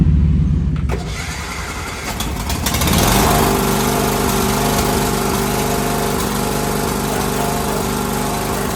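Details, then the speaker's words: Husqvarna mower with a Kohler Courage engine that would not run (too much compression), after diagnosis and a new starter. It cranks a couple of seconds, then catches into a steady, even run with no knocks or misses: normal running. "we were able to get it running and then here we are cleaning it up"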